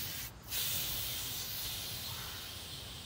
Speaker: open the valve back up counterclockwise counterclockwise and you'll hear a hissing sound and